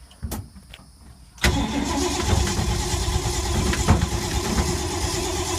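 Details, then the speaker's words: 1952 Ford unstarted for months, owner thinks he flooded it, smells gas: starter spins the engine on at a steady crank rhythm, never catches or fires; crank no-start, cause suspected not confirmed. "It's never been this hard to start. It's a nasty motor."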